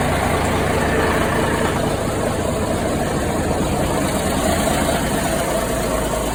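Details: 1973 Ward LaFrance fire truck, Cummins turbo diesel and Allison PowerShift, after coolant leak repairs and a long spell on the charger: deep, steady idle with an even beat, no knocking or misses; running healthy.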